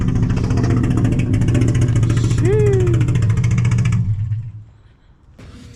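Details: Car: blips rise and fall with a choppy, uneven popping beat through the revs, like a miss, then drop to idle; stock injector swap planned to rule out the misfire.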